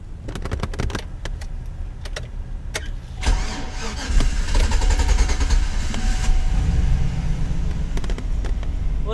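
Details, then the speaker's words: 2008 GMC Sierra after replacing MAF sensor for hard crank: uneven ticking crank stumbles about three seconds before catching into a rough idle; hard start persists, cause still unknown. "it's still not right but um hopefully after a few cranks it'll work any bugs out of it"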